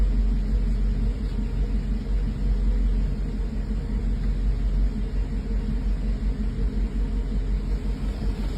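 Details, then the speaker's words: 1984 Mercedes 380SL at idle after replacing the 40-year-old engine control unit, which had caused rough idle and black smoke (oxygen sensor replaced first): smooth even rumble, no misses; normal idle. "I think she's pretty much fixed she's this problem is solved and it definitely was the engine control unit"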